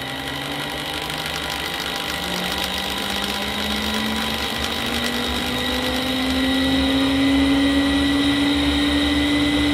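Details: Fujitsu M2294NU 14-inch Winchester hard disk from a Paintbox spinning up, suspected bad spindle bearing: smooth whine climbing steadily in pitch, fairly loud but no screech or grinding; bearings sound fine.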